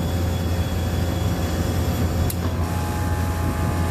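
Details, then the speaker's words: Vertiv Liebert PDX precision cooling unit, Copeland digital scroll compressor modulating at about 50% load: steady deep hum with solenoid clicking back and forth, no knocking or grinding; normal part-load running. "there is compressor doing its thing you can hear that clicking back and forth and it's this solenoid that does that"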